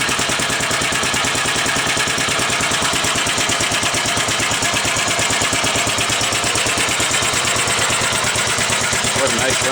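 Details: 1945 Gravely Model L single-cylinder tractor, first start-up after oil added and oil lines bled, strap started as the starter seemed to crank too slowly; even regular chuff about three beats a second, no misses or knocks: smooth, healthy idle.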